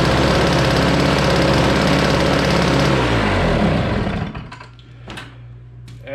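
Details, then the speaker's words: Snowblower small engine on fresh gas, primed and choked, pull-cord started: catches and runs with a fast even putter about four beats a second, shuts down cleanly; starts and runs well, electric start not engaging. "it's no big deal right now no big deal you know it starts drugs and it starts really well and runs real well"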